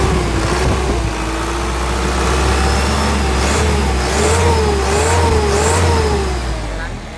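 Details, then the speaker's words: 2014 Isuzu Elf Long NKR71 diesel truck revved: clatter climbs and falls smoothly with each throttle blip, even firing with no knocks or misses, characteristic Isuzu hum; healthy engine. "Mesinnya masih garing, renyah ya teman-teman ya, dengar sendiri kan, mesinnya masih enak, masih ada ciri khasnya Isuzunya ya."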